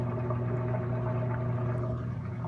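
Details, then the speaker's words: Whirlpool Duet steam washer on a normal cycle, camera at the back near the motor: drain pump kicks in with a steady low hum and water moving, no grinding or rattle; normal drain operation. "oh it's draining you hear that motor kicking in"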